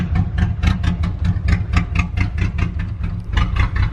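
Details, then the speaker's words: Jeep engine after a head gasket sealer treatment: rough, lumpy idle with uneven pulses and a ragged low rumble, close to stalling. It then died and seized. Failure of the head gasket sealer repair. "oh it's not sounding good man it's not sounding good"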